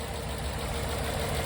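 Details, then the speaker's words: 2014 Ford Expedition with a swapped-in Coyote V8, first start: a loud, lumpy idle running on about five cylinders. Unplugging several injectors caused no change, so those injectors are suspected dead from bad fuel. "So, we're probably running on like five cylinders. Maybe we'll be able to hear the difference with this one pulled. Oh, yeah. So, we're not running on eight, but"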